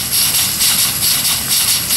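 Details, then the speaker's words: Worthington steam pump on 7-1/2 gauge Clishay live steam logging locomotive, valve switched so it feeds water into the boiler: steady steam hiss with soft pulses about three a second; pump working properly. "As you can see, it works perfect. Of course, that's the exhaust there for the engine on this end."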